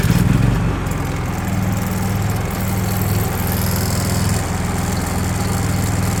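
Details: Honda EU3000is inverter generator after carburetor replacement (16100-ZL0-D66): steady, even drone with constant low hum, no hunting, surging or misfire; running smoothly, no leaks.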